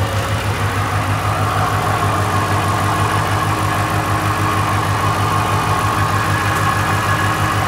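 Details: Mustang at operating temperature, idling untouched: steady smooth low rumble, no knocks, misses or rattles; engine sounds healthy but smoke emerging on its own from something that seems to run under the car, worsening.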